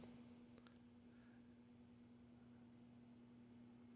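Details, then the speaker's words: Vintage Kenmore 124.8055 (Dyna Mimar) shop fan, failed speed coil replaced with triac control, at slowest setting; quiet with faint steady electrical hum of the triac performing its duty cycle; acceptable, normal low-speed running. "That's pretty decent. You still get the little hum of the Triac there performing the duty cycle."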